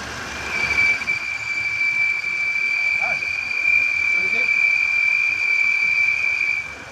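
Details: 2015 Audi A8 L at idle: steady high-pitched whistle at one pitch for about six seconds over a hiss; leaking PCV oil separator sucking air.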